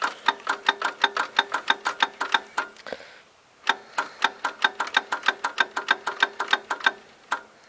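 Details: 1977 Gravely tractor, cranking attempt after cleaning and filing distributor points, battery likely run down, solenoid suspected failing; sharp clicks about three per second with no engine turning — rapid clicking when cranking.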